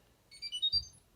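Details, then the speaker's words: Fisher & Paykel Smart Drive MW511 washing machine plays a short rising tune of four high beeps with flashing lights. This is a user warning, such as a tap turned off, not a machine fault. "There are some user warnings, which is where it plays a tune that sounds like this,"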